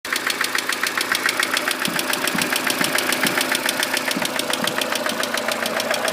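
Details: Warm Mercedes W168 engine at idle: sharp, even tapping about three to four times a second over the engine, a steady knock needing further checks.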